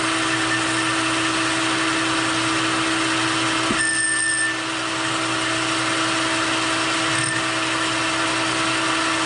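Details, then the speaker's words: Boring a roughly 1.34-inch ID on a K&T 2HL replacement part on the lathe, boring bar without tail support; steady high-pitched ringing squeal that shifts partway through, vibration chatter, operator trying to dampen it with wood. "without the tail support I'm getting a lot of vibration so I'm trying to see if I can dampen them with this piece of wood"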